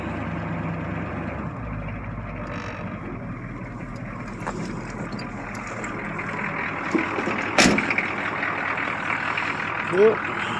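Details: 1982 Chevy Blazer with the 6.2 Detroit diesel on a cold start at about 20°F, after sitting three days: steady, even clatter at idle with a soft exhaust note through dock-type mufflers and no knocks or misses; normal cold idle.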